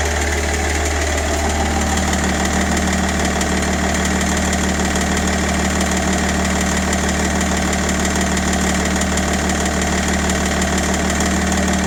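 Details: BMW 530d E60 M57N diesel at idle: a quick, slightly uneven knock at about three per second sits on top of the diesel clatter; the source is not identified.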